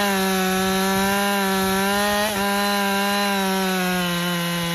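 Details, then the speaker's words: Husqvarna 550 XP Mark II chainsaw, previously bogging with wet plug, on slightly old fuel, at full temperature: fires on hot restart and holds a steady high buzz under cut with a brief dip; runs clean and strong. "so the last thing we need to do is just to make sure that this doesn't have a hot restart so obviously up to full temperature let's see if it at least fire"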